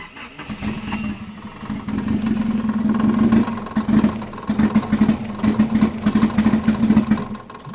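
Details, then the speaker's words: Nissan S12 Silvia turbo manual build idling in neutral after a water pump failure and radiator replacement: uneven lumpy beat with irregular pulses, a misfire; owner suspects one injector still down, unconfirmed. "She's alright, she just needs a bit of fettling. I think she's still got one injector down, which I need to check tomorrow."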